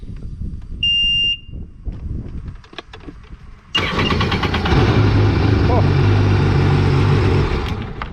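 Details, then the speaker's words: Sea-Doo GTX after installing a new starter solenoid: a short beep, then the engine cranks, catches at once and settles into a steady even run; normal start. "Away she goes. Everything's all fixed now. So that's how you diagnose, troubleshoot."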